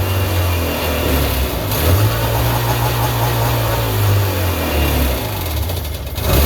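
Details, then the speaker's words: 1999 Sea-Doo GTI two-stroke, single carb freshly rebuilt, new fuel and oil lines, 148-150 psi compression: idle rises and falls every second or two, never settling; surging idle, idle unadjusted, fuel selector switch suspected. "oh okay she's running we can need we need to adjust that idle I don't have a mini Tac available right now to set the idle but we know she's a runner um we just have to adjust that and uh check our fuel again that selector switch might be causing that surging issues"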